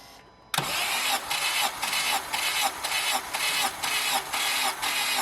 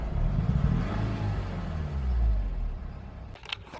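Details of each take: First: 2007 Honda Civic Hybrid, dual-spark-plug engine, compression test with the plugs out on one side and the coils disconnected: steady starter cranking with even pulses about twice a second and no firing, with a reading of about 140. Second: 2007 Honda Civic Hybrid, dual-spark-plug engine: the small engine revs with an uneven, stumbling beat and drops back roughly. The misfire was absent at inspection the day before, and its cause is not yet determined.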